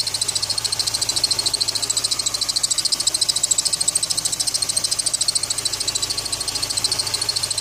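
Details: ZMZ 409 engine at idle after water got in: sharp high-pitched chirping pulses about two and a half times a second over quiet idle; suspected wet slipping drive belt.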